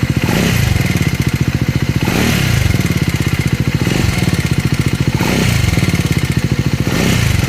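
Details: Scrambler 400X or Speed 400 single-cylinder revved in repeated blips, with a clattery mechanical rattle over the firing beat; abnormal engine noise, cause unclear.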